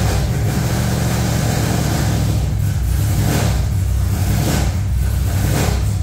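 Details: V8 just fired up: heavy, lumpy idle with uneven stumbling beat; one bank not firing because that bank's coil ground wire was left unhooked, first suspected as ignition wires.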